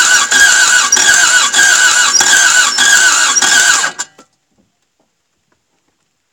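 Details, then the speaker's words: Toyota MR2 AW11 after cleaning injectors and distributor: fast even cranking about three turns a second for four seconds with high whirr, stops without firing; owner plans to turn the distributor back to retry. "guys it almost wanted to start there for a second you see that like holy crap so close so close"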